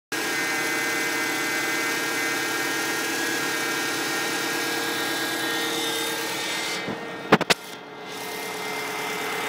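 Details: Stock 2006 Subaru STI cold start at 16°C: loud, steady high-pitched whine over the turbo petrol idle, rising with rpm and louder when turning the steering wheel; it took about 15 minutes of driving to go away.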